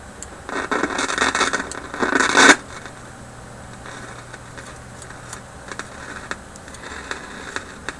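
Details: Philips 922 vacuum tube radio run on current-limited supply near 115–120 V after sitting off for hours: loud crackling bursts then scattered sharp pops over quiet hiss, volume fading then radio dying; owner suspects failing IF capacitors again.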